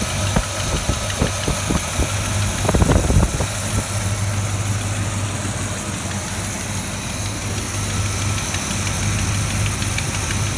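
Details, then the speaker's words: Chevy V8 in a 1982 Checker, idling just after lifter replacement and adjustment: light quick ticking over the rumble as the new lifters fill with oil, expected to quiet. "You can hear them a little bit, but they should swell up."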